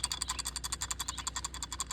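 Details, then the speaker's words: Can-Am X3 old axle CV joint, cleaned with engine degreaser, worked by hand: quick even light metallic clicks about eleven a second, loose bearings heard; owner suspects worn bearings — clicking CV joint. "you can hear those bearings moving around so I think that that's my problem there"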